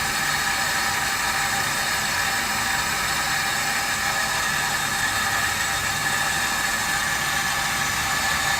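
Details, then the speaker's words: Meter Technology Works SM15 multi-jet water meter running at flow, about 72 dB: steady, even hiss with a faint high whir from the turning rotor and no knocks or surges; normal running noise from moving parts. "it still has moving parts it's still going to make a little bit of noise"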